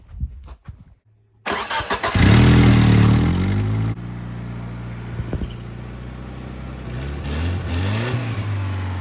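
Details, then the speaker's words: Old Geo Tracker after tune-up with new spark plugs and wires on distributor cap in correct firing order; cranks, catches and settles to steady even idle, smooth low note, no misses or knocks; normal idle. "it sounds better already, Autumn. I think you girls did it right. Oh, she sounds good."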